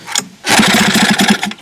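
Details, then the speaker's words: Hankai 6.0 outboard, 2020, two seasons' use, sneezing and won't start: a pull-start gives a quick string of soft, uneven pops spitting back through the carburetor, suspected broken reed petal letting the charge blow back. "Не заводится, говорит, чихает. Я сейчас пару раз дернул. Очень похоже на то, что тут лепесток сломался. Вот, чихает карбюратор."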